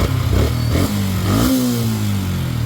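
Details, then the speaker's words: Yamaha Sniper 150/155 at 4,383 on the odometer, after replacing the water pump seal, impeller and impeller bearing: small revs settling into a smooth steady beat with no whistle; whistle gone, sounds healthy. "so mapapansin niyo wala na yung tunog niya na su normal na ulit yung kanyang tunog so natanggalan natin yung lumang bearing at impeller saka water pum seal"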